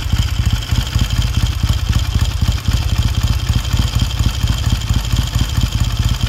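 Even, steady parallel-twin beat at a slightly fast cold idle with no misses or knocks; a healthy, freshly rebuilt engine.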